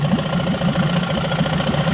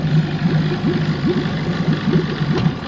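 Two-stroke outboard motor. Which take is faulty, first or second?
second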